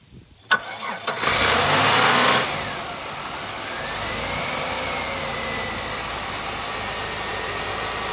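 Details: Supercharged Buick Regal engine just after installing a supercharger belt and grooved idler: short crank, catches with a loud flare, then settles into a smooth, steady idle with a faint, even whine; normal start and idle.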